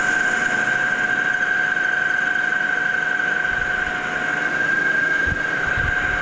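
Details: Lathe turning a boring bar from O1 tool steel with a freshly replaced insert, facing pass: steady, clean high-pitched tone with no chatter or scraping, tool cutting well and right on size; normal cutting.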